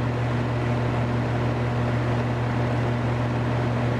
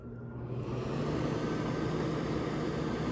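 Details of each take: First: Central air conditioner condensing unit built June 2016, first startup of the season: steady deep hum with a constant buzzy rattle that it always makes while running; still cooling, rattle cause unconfirmed. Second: all right fan works a little fan works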